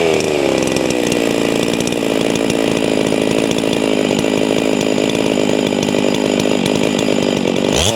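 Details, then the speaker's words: Hypo 660 chainsaw build with added homemade third muffler port, ported, 25-inch bar: crisp, even high-revving scream at full throttle with no stumbling before dropping off; running clean, no kickback on start. "i don't know if it's back pressure or what but it didn't donkey kick my ass after putting that port on it"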